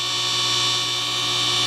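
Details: DIY 10 HP rotary phase converter, push-button started, running unloaded with leg voltages high (about 280 and 260): constant low hum with steady high whine, no surging or clatter; idler motor spinning freely.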